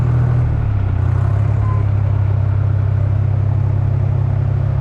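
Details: 1953 Oliver Styled 99 four-speed gas tractor, after a no-start: a steady, even low rumble with no knocks or misses; the engine runs smoothly and healthy.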